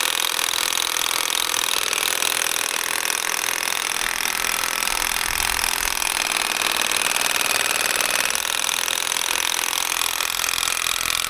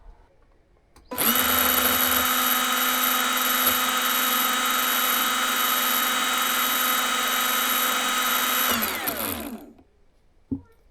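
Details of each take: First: Old Makita DUN461 pole hedge trimmer tested outdoors after dismantling cutting head to fix stalling and lost power; steady high buzz with brief sag as blades bog; jammed only twice, self-clearing on re-trigger, possibly slightly better than before but still lacking torque. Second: Makita DUN461 pole hedge trimmer run with blade removed, cutting head opened to check motor; smooth steady high whine winding down cleanly, enough grease, offset cam free; normal motor run, owner unsure of torque-loss cause, maybe blades need sharpening.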